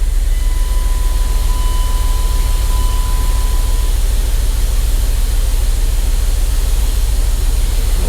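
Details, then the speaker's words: 5.9L (360) Magnum V8 in a Dodge Dakota, after replacing bad rod bearings that caused a knock, fresh oil, warming up at idle: deep, steady, even rumble with no ticking or knocking. Fixed and healthy. "she's fixed I'm happy to say there's no ticking out of this thing you guys"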